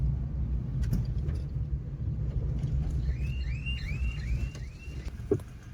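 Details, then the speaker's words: Maruti Eeco idling: low, lumpy idle with irregular pulses, heavy misfiring and vibration, not backfiring at this moment; engine cuts out when revved. "ચાલુ તો મિત્રોગા ગાડી અત્યારે ફટાકડા તો નથી ફોડતી પણ એન્જિન મિસિંગ બહુ જ કરે છે વાઈબ્રેશન બહુ કરે છે"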